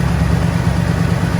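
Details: 1964 Chevelle Malibu convertible V8, first start on dry fuel lines after engine mount replacement, with the starter and fuel pump removed and refitted: a smooth, deep, even idle burble with no ticks or misses, no leaks. A normal idle.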